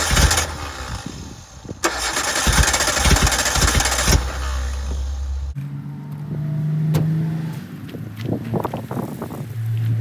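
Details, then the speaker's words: 1988 Suzuki Samurai parked since the late 1990s, on a gravity-fed fuel supply: catches and runs rough and uneven for a few seconds, then stalls. Owner thinks it has a hard time getting fuel, not confirmed. "Pretty cool, it starts up though, huh? I just think it has a hard time getting fuel into it."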